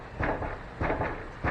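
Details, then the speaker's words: 2500 HD IFS pickup, torsion-bar front suspension, jacked at the correct point with the wheel rocked: three dull clunks about 0.6 seconds apart from heavy play in a severely worn upper ball joint near falling out. "you hear that that is one of the worst upper ball joints it's probably in the top 20 that i've ever seen getting ready to fall out"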